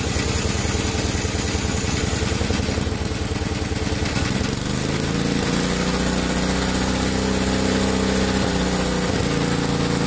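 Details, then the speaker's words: 1963 MTD Lawn Flite lawn tractor single-cylinder after replacing all ignition components, clutch not disengaging: settles from rough patter into steady even run with no misses; normal running. "put it in gear and it just takes off but it's running okay"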